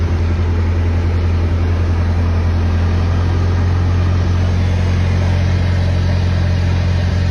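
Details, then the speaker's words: 1922 Ford TT engine idling with a deep, even, steady rumble after adjusting for more air following a possibly flooded start; it smooths out once the right mixture spot is found. "I don't know if you saw heard the the engine sound right there, but it smoothed out right there where I found that spot."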